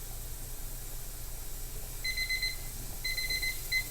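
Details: Two short bursts of rapid high beeps over a quiet room hum, the kitchen timer signalling the end of pressure canner processing time before the burner is turned off and the canner removed from heat to depressurize.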